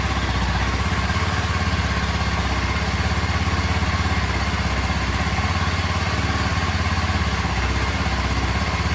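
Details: Kawasaki KLX 230 (Indian model) single-cylinder at idle during a water-glass vibration test: steady even thump with no knocks, rattles or hunting; idles smoothly, water doesn't spill, very little vibration.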